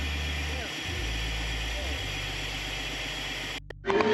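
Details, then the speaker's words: Chevy LS V8 (thought to be a 5.7, earlier called a 6.0) that kept throwing its serpentine belt, after the tensioner and belt were replaced: steady, even idle with no squeal, flap or slap; the fault appears fixed. "we did get it to run. We just had to replace that tensioner and also this belt, and that seemingly fixed the issue."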